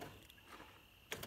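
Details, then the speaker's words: 2005 Honda Odyssey driver's side sliding door: pushing in and releasing the fuel-door sensor makes quick mechanical clunks as the door lock actuator locks and unlocks; a popped-out sensor likely blocks the sliding door opening. "let it out I don't know if you can hear it but the door is locking and unlocking when I push this in and let it out"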